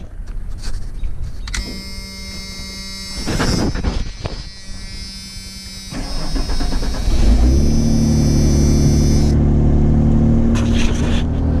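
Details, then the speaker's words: 1992 Ford F-150 beater: after a short crank it starts and settles into a loud, raspy, puffing low idle. Exhaust leak: a rusty cheap replacement muffler with no tailpipe dumps just ahead of the rear axle. Owner suspects the rear fuel pump doesn't work. "Starts good, runs good, exhaust leaks, but I'm pretty sure the rear fuel pump does not work."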